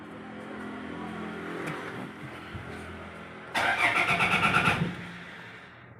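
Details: 2015 Toyota Fortuner: starter churns about a second with steady pulsing rhythm but engine never fires or catches; crank, no-start condition.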